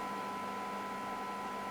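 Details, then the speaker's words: President James CB/10m radio after the receiver fix, with a -113 dBm test signal; clean steady tone well above soft hiss and peaking at 20 dB SINAD; receiver sensitivity is back to normal. "You see it is peaking 20 dB, and yeah, so that is telling me that the radio is really back to what we expect."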